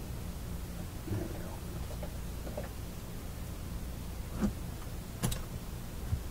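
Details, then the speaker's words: Fleetwood 660 record player amplifier: a steady low hum under knob clicks that follows the volume control and is absent at low volume, pointing away from the power supply. The cause is a broken ground wire. "so all right there you can see the the problem basically is is grounding and that that volume's pretty high so that's what it is broken wire made it on just saved"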